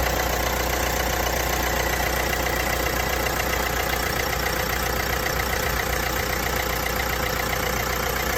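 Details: Vauxhall Astra 1.6 at idle with a constant light metallic rattle over the engine, about two or three beats a second, present for a few months; source unclear, dealer found no problem.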